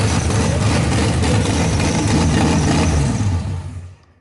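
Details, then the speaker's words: RB26-swapped Subaru WRX, first start on Haltech ECU base map, cooling not yet plumbed: loud, uneven, lumpy idle before shutting off; not running right yet; rough running. "I mean it doesn't sound like everything is right. Yeah, it's not 100%."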